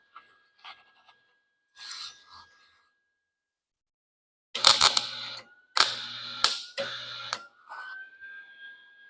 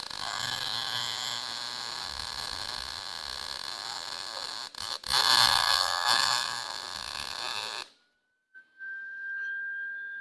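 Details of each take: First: Lincoln 140 Pro-MIG with feed chatter gone, settings 5.5–7, set at 6: harsh uneven crackling and popping over feed-motor whine; wire still feeding too fast, liner to be blown out. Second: Lincoln Pro-MIG 140, 110 V MIG welder, after troubleshooting feed chatter, drive set at 6, wire turned up slightly: steady crackling sizzle like frying bacon for about eight seconds, no pops or stutters; normal, clean MIG arc.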